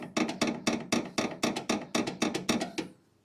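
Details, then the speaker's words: Chevelle front upper ball joint, separated from the spindle during upper control arm bushing and ball joint replacement: about a dozen sharp knocks, roughly four a second, as the joint is worked by hand; a worn upper ball joint. "see it's not supposed to make that noise but she's free from the spindle"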